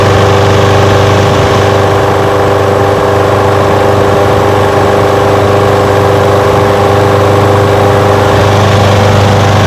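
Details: Old curbside Craftsman push mower with a Briggs engine, first run after revival: steady, even single-cylinder putter at idle with no misses, knocks or hunting. It smokes a little. Windy outdoors. Normal idle.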